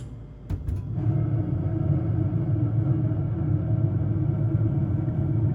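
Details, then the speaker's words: Carrier gas furnace, about 9–10 years old, in heat mode: after a brief start-up, a deep steady droning rumble from the draft inducer (exhaust fan) motor with worn-out bearings. "So, anyway, yeah, that's just an example of what the furnace usually sounds like when the furnace exhaust motor goes bad."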